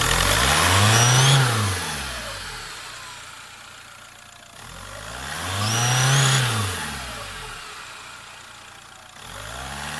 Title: Свист турбины